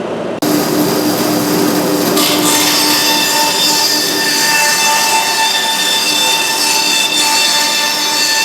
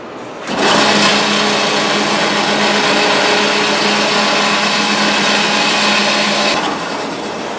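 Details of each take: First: Big bandsaw after reinstalling and tightening both set screws that had backed out: steady high hiss and whir of the blade with no knocking or rattling; totally quiet, running normally. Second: Big bandsaw drive noise after the saw failed on first job: steady low hum with higher whine over a harsh rushing drone; owner suspects deeper trouble beyond blade alignment, possibly the small transmission (gearbox) ran out of oil.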